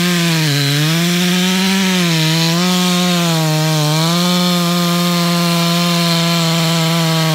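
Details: Stock MS461 with eBay ported muffler, well worn, over a year of cutting; hand round-filed chain used a week, no touch-ups; felling cut in big hard northeastern red oak, camera a ways back. High steady note with small dips, no chatter: sharp chain cutting cleanly.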